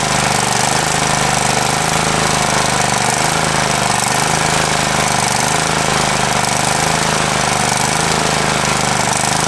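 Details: Free Craftsman riding mower, said not to run, started after a new battery was fitted: small single-cylinder engine runs steady and loud with a constant rapid beat and no misses; the fault was just the battery.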